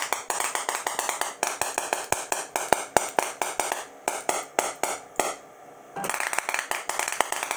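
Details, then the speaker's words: DIY CNC EDM machine cutting a grade 8 bolt: erratic crackling snaps with short silent gaps; the arc won't stay stable, keeps dropping out as the electrode's Z feed doesn't drop fast enough to keep up. "well as you can hear I'm trying to get a stable arc and it's not happening"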